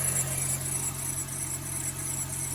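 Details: Mercedes SLK350 R171 engine at idle: faint, high, pulsing squeak over steady idle from the belt drive; tensioner pulley seen wobbling, fixed by replacing the tensioner and two idler pulleys.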